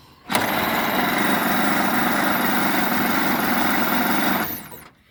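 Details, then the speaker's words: 1927 Pirsch fire truck engine, first runs since about 1994, spark plugs cruddy: it runs about four seconds with an uneven, lumpy beat near four per second, then dies. Owner says the carburetor needs adjusting. "looks like I got some carburetor adjusting to do oh well yeah that's closed all the way that's not gonna work give it one more try"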